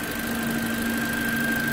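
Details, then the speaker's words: Toyota Corolla, first start after a replacement engine was just installed: smooth, even idle with a steady hum and faint high whine, no knocks or misses; engine running very well, as expected. "como previsto né motor está funcionando muito bem mas nada muito bem mesmo olha aqui beleza"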